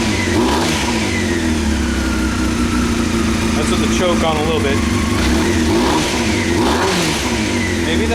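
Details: 1998 Honda CBR after carb rebuild, new spark plugs and K&N air filter, with choke on: revs climb unevenly and stumble with a lumpy exhaust note under throttle; still running rough, cause unknown; rough running when revved.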